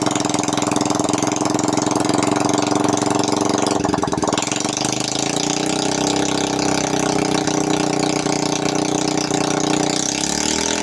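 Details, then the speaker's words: Honda Karisma (Supra X125-type engine) that smoked heavily despite a good piston, after the clogged oil-ring holes were cleaned and a new ring fitted; run without the exhaust to confirm it no longer smokes. Loud, sharp open-pipe firing at a steady idle with no misfire or knock; normal idle. "sengaja ya dihidupkan tanpa knalpot untuk memastikan bahwa dari mesin itu sudah tidak ngeburn hanya untuk memastikan saja"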